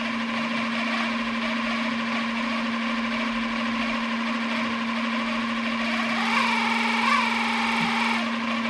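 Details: 3D-printed RC outboard with greased gears, after low-speed run-in: clean, steady whine holding one pitch, briefly rising and falling with throttle, no roughness; much smoother and holding the same RPM.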